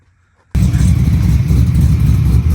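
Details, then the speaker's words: Aaron's car engine revving. After silence it barks into a deep, even, strong rumble with no knocks or misses. It sounds healthy. "well I gotta admit I actually really like the way Aaron's car sounds it sounds like it's making the kind of power that mine is making"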